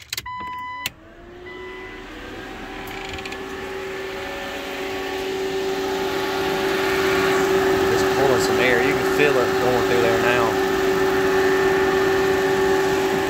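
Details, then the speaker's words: Jeep XJ (1998 A/C) overheating fix: electric cooling fan just switched on, wired through a relay, spins up after a click to a steady even hum and rush of air; normal cooling fan operation. "it sounds like uh it sounds like i got a bunch of fan on it now if you listen to it with it just switched on i got it all wired up to a relay"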